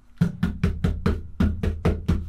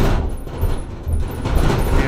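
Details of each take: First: Campervan side panel knocked nine times after fitting PeaceMAT sound deadening sheets: dull knocks that die out fast with no metallic ring, panel drumming eliminated. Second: Camper van on a short drive over road bumps with the bulkhead removed: irregular hollow bangs and rattles rising and falling with bumps over low road rumble; bonding between the outer and inner skins has come apart, to be re-stuck with Sikaflex.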